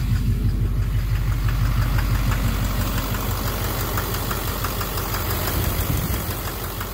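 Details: 2009 Chevrolet Duramax LMM dually, transmission reinstalled with new torque converter and billet flexplate, parked with brakes on: sharp, even knock about three times a second at diesel idle; injector knock or cracked flexplate suspected, unconfirmed.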